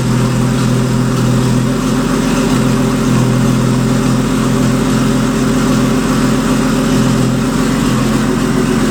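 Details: Porsche Boxster turbo engine in an Audi S4 after rebuild and a crank sensor wire fix, running about a minute with a freshly rebuilt turbo: steady, even drone with a constant low hum, no misses or knocks; normal idle.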